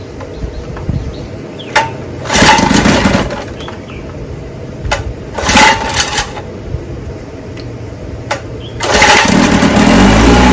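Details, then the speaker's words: Johnson 10 HP QD-23 vintage outboard with a rebuilt carburetor, bulb pumped and choked, needles set high speed 3/4 out and low speed 1-1/2 out: two short pull bursts, then the third catches into a steady, even two-stroke run; starts and runs good. "so that's the car is rebuilt runs good I'm going to keep twerking it a little bit run it for probably all day long four or five times make sure it's adjusted just right"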